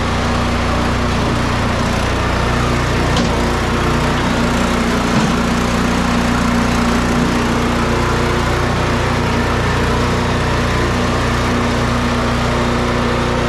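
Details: Snow Beast 45SB 45-inch snow blower with DEK 420cc single-cylinder engine, started up: steady, even running with no misses, knocks or surging; sounds healthy.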